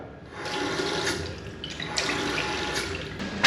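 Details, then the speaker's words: Urinal cistern fed through a systemizer after cold water turned on: steady hissing rush through the valve topping up the cistern, no hammering; flow normal, but a leak appears from the bottom of the cistern at the torpedo siphon. "so right, I don't know if you can hear or even see in there, the water is now just passing through here and beginning to top this system up."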